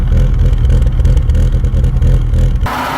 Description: Rough idle when engine gets warm. It happens when oil temperature goes above 70°C.